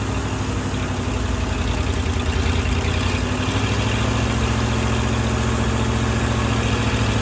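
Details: Firetruck engine, warm near 190 and kept from running hotter until a fan is fitted: steady, even low rumble, unbroken rhythm, no knocks or ticks; timing set roughly, fine tuning to come; normal warm idle.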